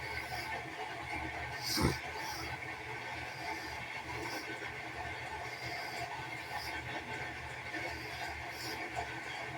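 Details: Washing machine in final spin: steady high squeal of slipping belt with soft whoosh about every two seconds; owner suspects belt is about to rip, grinding heard earlier.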